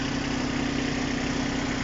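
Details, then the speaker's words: Kubota Aste A-15 mini tractor with rotary tiller, three-cylinder diesel with glow plugs, just started. Even, steady idle with a smooth low pulse, no misses, knocks or noises. Normal idle. "работает ровно так при за три скорости вала отбора мощности у нас есть начнем с 1 риза абсолютно беззвучно работает жаловаться на третью никаких шумок"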